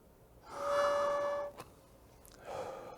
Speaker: so you hear that whistling sound there that is an indication to you that the patient has breathed in too quickly is potentially creating turbulent flow